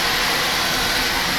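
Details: Burnham boiler with Beckett oil burner and electronic igniter, running continuously after filter, screen and nozzle service: steady, even roar of flame and fan, no sputter; clean, very low smoke, normal burner operation.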